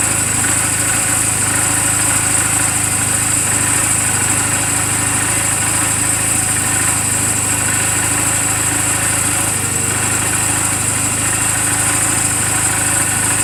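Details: 2007 Honda Rebel 250 idling in neutral just after an oil change and valve clearance adjustment: an even, steady single-cylinder idle with no misses, knocks or ticking throughout. The charging voltage reads about 13.0–13.4 V running. A normal, healthy idle.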